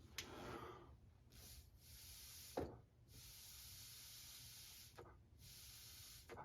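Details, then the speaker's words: PCV valve removed from a 2007-2021 Toyota Tundra 5.7L, blown through backwards via a small hose; breathy hiss in several puffs as a fair amount of air passes when little or none should, so the valve needs replacing. "can still get a fair amount of air through it, so I think that this one will need to be replaced."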